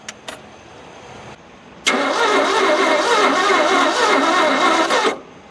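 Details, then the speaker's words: Abandoned 1971 Ford F100 engine, compression readings of 28 and 40: quick, light, even cranking near four beats a second for about three seconds with no firing; compression too low to start. "so it's enough to enough to make noise but not enough to make boom no simply just not enough to make"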